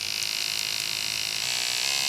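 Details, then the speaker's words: Andis SMC 5-Speed clipper after fitting a new front motor mount (was making noise): steady, even high-pitched buzz with no rattle or dropouts; cam running nicely, sounds much better, healthy. "all right back with these clippers that needed the new front motor mount and just wanted to show you that they uh sound much better now well if you can hear it it's all good cam's running nicely"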